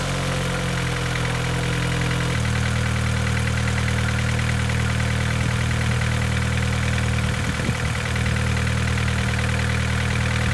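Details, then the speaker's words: Low-mileage petrol car cold-started after sitting overnight, at raised idle: faint light rattle under the drone; piston slap from an engine build, new lifters fitted, big-end bearing not suspected. "if you listen carefully you can hear the slight rattle that I'm talking about that's piston slap"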